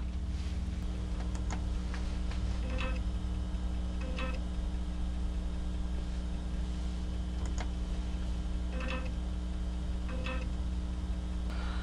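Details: Amiga floppy drive with a possibly corrupt disk: steady drive hum with irregular head ticks and paired clunks repeating about every 1.5 seconds as it retries. Read/write error.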